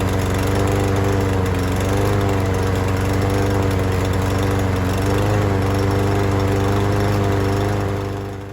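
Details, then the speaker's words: Troy-Bilt TB110 push mower, Briggs & Stratton 550 E engine, running on a new replacement carburetor: a steady drone with an uneven, wavering beat that never settles. It runs rough and worse than on the original carb; owner suspects the new carb is defective. "So, the lawn mower actually ran worse with the new carburetor than the original one. The new one must have been defective somehow."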